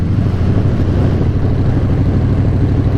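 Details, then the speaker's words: 2018 Harley-Davidson Breakout, originally a 107 and now a 131 race motor, idling extremely hot; deep, loping, steady idle with no knocks or ticks as the engine drops its rear cylinder, sounding completely different from normal; rear cylinder deactivation. "but it has a completely different sound to it. I kind of like it, but it definitely scared the shit out of me the first time I heard it."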